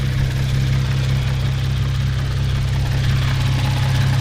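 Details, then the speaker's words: Genesis with a Competition Clutch stage 2 kit (lightweight solid-mass flywheel replacing the dual-mass, 2600 lb pressure plate, kevlar disc). Warm idle, oil 177°F, AC on: deep, loose clattering hum. This is normal gearbox rollover (clutch chatter). "But the clutch chatter is actually coming from the fact that you're kicking out that dual mass flywheel, which is absorbing most of the vibration, sounds, dampening, all that, and it's just transitioning the sound insi"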